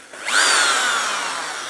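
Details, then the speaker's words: Older 1990s Skil hammer drill, made in Holland, double insulated, passed appliance safety test; variable speed, run free then with pressure in hammer mode. Motor winds up to a smooth steady high whine, no rattle or grinding; sounds excellent, normal running. "that sounds excellent actually variable speed wonder if the hammer drill part Works probably should let's just put some pressure on it yep sounds very good"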